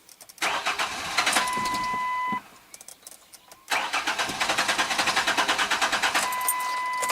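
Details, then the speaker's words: 2002 Ford Ranger 2.3, 200,000+ miles, fuel pump fuse 23 pulled to relieve pressure for fuel filter change: starter cranks fast, engine catches briefly, fires unevenly then dies from no fuel delivery, as intended. "It may start for a second and then die, and if it does, we know we don't get any fuel pressure."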